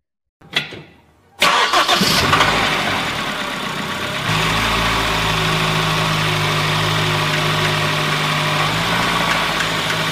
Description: 6:49 صوت نقر معدني من كراسي عمود الكرنك